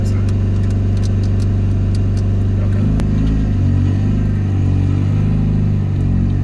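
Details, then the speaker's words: LS-swapped Mazda FC RX7 with full exhaust, driving at light/quarter throttle with a big coolant leak: loud raspy drone with faint sharp ticks early; owner suspects a massive exhaust leak, not confirmed, though it runs pretty good. "so it's got a full exhaust but it definitely sounds like it's got a massive exhaust leak"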